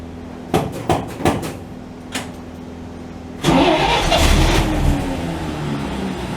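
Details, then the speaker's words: 1949 Chevy truck started after sitting a couple of days to a week, with three pedal pumps and ignition on: pumps and clicks, then cranking catches into a rough, uneven rumble that won't settle. Hard start after sitting; owner suspects it was low on gas. "it's been a couple days, maybe a week or so before I've started this thing. So I don't know if it's going to start right up, but we're going to try to."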